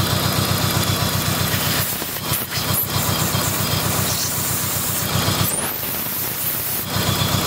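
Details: Dodge SRT-4 engine idling with a misfire: steady airy hiss over a slightly uneven pulse, from a large, worsening vacuum leak at the intake manifold gasket, which was replaced.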